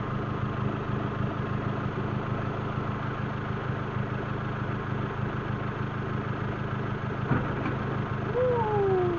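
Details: Proton Waja MMC automatic that sat six years, with an overhauled engine, flashed ECU and K20 coil-on-plug. Idles steadily but high, around 1200 rpm with the aircon on. Cause: idle timing setting had drifted, fixed by resetting and tuning the idle.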